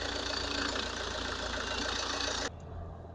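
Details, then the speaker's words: Opel Astra H 1.7 CDTI diesel idling warm after turbocharger replacement, intercooler hoses reconnected, underbody plastic cover not yet fitted, before test drive; steady even clatter, no knocks, rattles or whistles — normal idle. "The engine is working fine, we don't have any noises."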